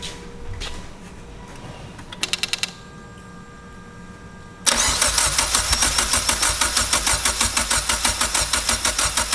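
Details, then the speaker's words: Rebuilt wrecked Mitsubishi Evo X, first engine start after repairing the wiring harness and refitting fuel lines: short crank, then fires into a crisp, even idle with steady pulses and no knocking; a healthy start. "So I guess I put my fuel lines in the right spot. That sounded good."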